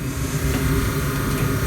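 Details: 1954 Mayflower oil-fired forced hot air furnace, last serviced 2012, oil burner running after motor work: smooth, steady low hum with no rattles or surges; owner expects this motor may seize eventually and plans another; running quietly and normally.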